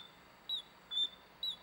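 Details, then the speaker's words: Echo GT200R string trimmer, new carburetor: pressing the primer bulb gives three short, high squeaky sucks as air is pulled through properly, unlike the old carburetor, which drew nothing until its diaphragm, gasket and passages were cleaned. "push that primer bulb you can hear that air being pulled up in this one I couldn't hear that"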